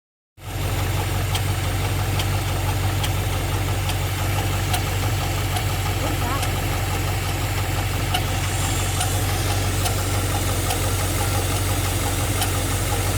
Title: G8 ticking noise